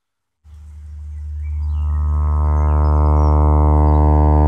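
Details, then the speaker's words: Wurlitzer Magnavox jukebox loudspeaker, unreconed: low droning note comes through buzzy, harsh and distorted; cone is recessed in the basket, torn and resisting movement, so the speaker needs reconing. "distorted you just touch it it's not good that's where the code should be it's resisting now"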